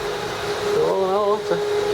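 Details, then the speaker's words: 2001 Land Rover Discovery 2, about 102,295 miles, AC on: steady airy rush with a constant mid hum, no rattle or scraping; blower fans running normally. "the ac is on right now so the fans are running"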